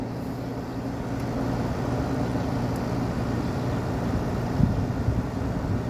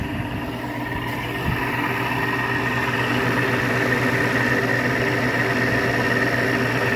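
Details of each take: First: Window air conditioner installed after the central AC capacitor failed, running on high cool and high fan, room at about 76°F. Soft, steady fan rush with a faint low hum; the compressor is barely audible. Quiet, normal running. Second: GE window air conditioner installed after the central AC capacitor failed, room at about 76°F. Compressor and fan hum steadily with a faint watery swish on top. Condensate water is sloshing in the base pan, which deliberately has no drain hole.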